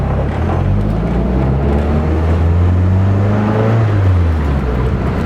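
Deep, smooth exhaust note that climbs steadily in pitch under load with no hiss or puffing; the engine pulls cleanly and sounds healthy.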